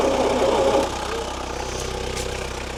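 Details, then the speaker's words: 1972 Bedford J series petrol truck, possibly a J3, long unused, running on fuel poured into the carburetor bowl: catches briefly, lumpy and uneven with a dull knock, then fades; it only runs while fuel is being tipped in. "Doesn't sound real healthy. The old engine. She's still only running off when I tip into her."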